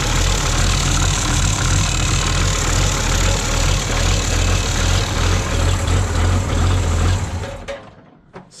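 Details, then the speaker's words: 1969 Oliver Industrial 1650 backhoe diesel, ether-started in neutral, charge light back on: rough idle with irregular tick about three per second up front, likely the alternator fan catching on a washer. "sounds a little angry up front huh and our charge lights back on again I don't know if that's the alternator self clearancing and what the hell that was"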